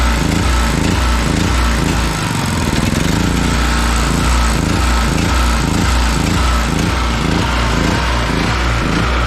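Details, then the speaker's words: Small 5.7 hp generator, started the morning after a night's running during a blackout: loud engine rising and falling roughly twice a second instead of holding steady; surging, low idle jet needs cleaning, probably some dirt in it. "okay so what that means is that the um the low idle jet needs cleaning out probably got a little bit of in there"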